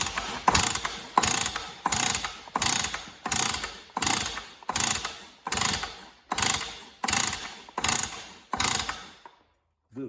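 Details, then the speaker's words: Stihl cut-off saw, one of three bought cheap, has good spark but won't start: steady recoil pulls with a dry squeaky ratcheting rasp and no firing; owner suspects internal damage, not confirmed. "but we'll just give it one more go and see if we get any life out of it at all that sounds squeaky if you if you listen"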